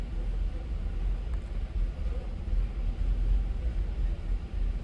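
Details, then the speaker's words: 1989 Ford Ranger or 2000 Buick LeSabre at idle with the EGR valve commanded open by a scan tool to about 50%: rumble surges and dips, stuttering and barely staying alive. Excess EGR flow causes a rough idle. "sounds like it's really stuttering and 30 seconds has expired"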